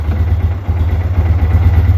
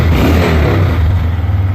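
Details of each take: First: Wilderness ATV single cylinder just revived after ethanol-damaged carburetor, left to idle: slow heavy lumpy thumping about four beats a second; idle speed too low. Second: Wilderness ATV after ethanol-damaged carb repair: the single-cylinder engine swells smoothly with throttle blips, with no sticking or stumbling. Idle is a bit low and there was a slight backfire. Healthy throttle response.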